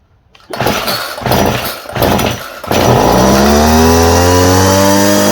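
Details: Homelite string trimmer fitted with a new non-OEM Chinese carburettor, started on choke: a few sharp pull-cord yanks, then the two-stroke catches and settles into a steady, even high buzz. It starts and runs fine.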